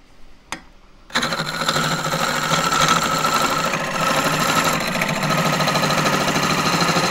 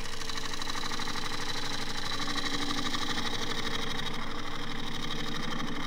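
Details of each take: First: Small lathe turning thin-walled green juniper natural-edge bowl, bounce gone so speed raised to about 1200 rpm: steady even whir with fast light ripple from the spinning work, no thumping or wobble; smooth running at higher speed. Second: Woodturning a natural-edge tripod bowl on a small lathe: gouge cut through wild, irregular grain gives a steady fast knock, about three per second, under the cutting noise as the gouge bounces; surface not cut cleanly, later to be power sanded.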